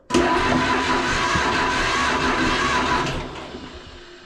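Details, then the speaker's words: Old John Deere B tractor cranked out of gear with spark plugs now installed, before fueling: steady even starter churning about three seconds, pulsing on each compression stroke; exhaust pipe bounces, healthy compression. "well I hope you can see it on camera but it bounc up and down that's a good thing"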